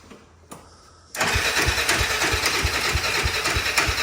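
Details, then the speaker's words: Honda 400EX single-cylinder engine swapped into Polaris RZR 170, first start with choke on, new oil and filter, engine not yet bolted down: catches and idles with hard regular knock about three per second; starter clutch knock. "but now you hear that knocker that's starter clutch huh beating around"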